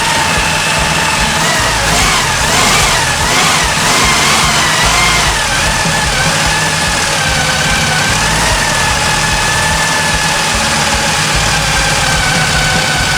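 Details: 1974 Chevy Nova after years sitting: the idle surges and dips with hunting revs while it burns super old gas from the carb's float bowls. The fuel filter is still mucky; the carb is to be cleaned if it doesn't clear.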